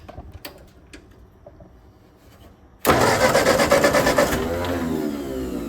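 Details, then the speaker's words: Ford 8N tractor: quiet starter clicks with a weak Bendix, then the engine catches and runs loud and ragged for a few seconds; hard starting blamed on a still-faulty carburettor with a sticking float. "Carburetor still bad. Try it again. Crank it up again. Still carburetor. So there we go. We still got issues with the carburetor."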